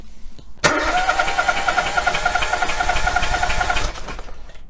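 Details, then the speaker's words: Relative compression test with spark plug removed from one cylinder of a three-cylinder engine: lopsided cranking beat, two strokes labouring then one spinning free each cycle, three to four a second; no compression in one cylinder. "so if you have got an engine that does sound like it's you know blatantly lost compression on one of the"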